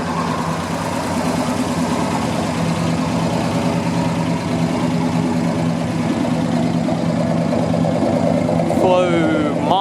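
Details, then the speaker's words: 1977 Chevrolet C10 V8 with Flowmaster-style exhaust, next-day restart after sitting nearly 2 years, cranks right up: deep steady burble at idle, loud exhaust, even and unbroken; healthy idle. "All right, we can crank right up and it's sitting there running. It sure is nasty."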